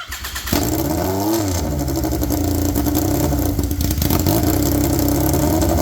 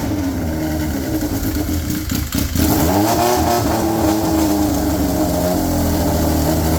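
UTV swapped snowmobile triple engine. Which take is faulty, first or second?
first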